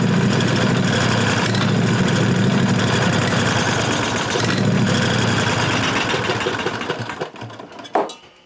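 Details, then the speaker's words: 1998 Briggs & Stratton Vanguard 16HP horizontal-shaft V-twin (model 303447), running on carburetor cleaner; chugs unevenly about seven seconds, then sputters, coughs and dies. Stalling, new replacement fuel pump turned out bad. "Alright, so the new fuel pump actually turned out to be bad too."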